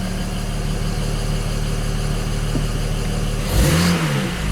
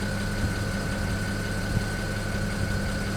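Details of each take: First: BMW 335i N54 just after installing index 12 injectors and coding them, acoustic engine cover off: fast light ticking over a smooth idle, a quick rev and drop back. It is normal direct-injector noise, louder because the cover is removed. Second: BMW 335i N54 at idle after installing index 12 injectors. Fine, fast ticking over the engine note with a faint high tone: the injectors remain noisy, slightly improved, with insulation cut for the oil catch can also suspected of adding noise.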